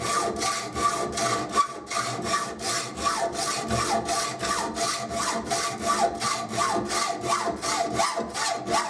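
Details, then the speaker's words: Hacksaw cutting metal tube: steady rasping strokes about eighty a minute, pitch and bite changing as blade breaks through top wall into two side cuts, pressure backed off. "You can hear the change, it's broken through the tube there. And it will start to cut down either side now, nice and gently."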